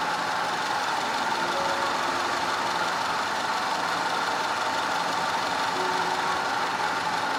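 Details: 2010 Audi A5 2.0 TFSI Cabriolet with codes P0304, P0300 and P130A. Uneven idle stumbling about three times a second from a random misfire and a constant cylinder 4 misfire, later fixed.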